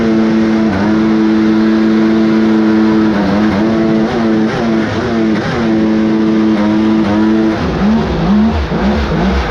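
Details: Kawasaki 1100 triple two-stroke with raised compression in a mini jet boat. At full throttle the steady drone wavers and breaks up, with pinging or pre-detonation, so the throttle is released. Owner suspects squish or cylinder head issue, unconfirmed.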